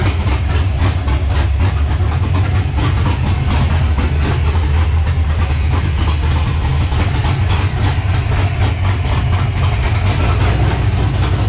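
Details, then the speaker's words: LS-swapped Monte Carlo on an ACES Jackpot LS EFI system, first startup: deep, steady V8 rumble with a choppy exhaust lope and no knocking or missing, a healthy big-cam idle. "you didn't think it was going to talk like that did you"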